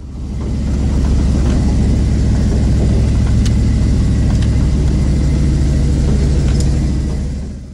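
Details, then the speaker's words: Off-road wrecker's new engine with Flowmaster mufflers, heading out on its first tow: deep even exhaust drone, steady, no knocks, ticks or rattles; running healthy, though exhaust considered too quiet. "I think the recor is a little too quiet the Flowmaster Mufflers are a fantastic performance muffler but I think the videos will be better with something a little louder"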